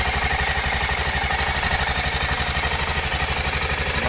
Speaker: El motor suena muy redondo. Mantiene muy bien el ralentí.